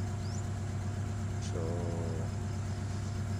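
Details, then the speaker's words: Honda engine previously showing rough idle and erratic RPM above 1000, after spark plug service and cleaning: steady low drone with RPM gradually settling to about 700 and no hunting or surging; normal idle after repair. "at Dito nga guys ay nagnal na yung RPM niya So unti-unti ng bumababa sa 700 RPM"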